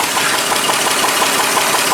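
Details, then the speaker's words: 1936 Chevy pickup running at about 180° temperature, after carb float fix: light regular tapping about six times a second over idle, low-end knock; owner hopes it is not rods, will check rod clearances if louder. "hear that like low end knot i don't know if you'll be able to hear that on the video or not but it kind of bothers me a bit on that i hope it's not the uh rods or anything"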